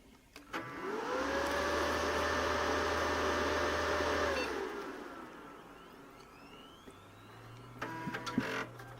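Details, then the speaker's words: Dell Inspiron 530s desktop, 250 W power supply, Samsung hard drive, monitor off: at power-on a loud airy roar with droning tone surges about three seconds then settles; the power supply fan is loud, replacement supply ordered. "I'm not going to turn the monitor on yet, so we can hear that hard drive, since that fan for the power supply is so loud."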